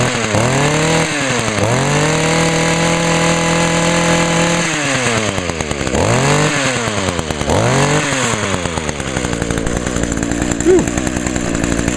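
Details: 2010 Echo HC 150 hedge trimmer, carburetor replaced last year: crisp revs climb and drop back cleanly to a steady idle without hesitation. It is smoking from deposits in the cylinder, expected to clear; running normally.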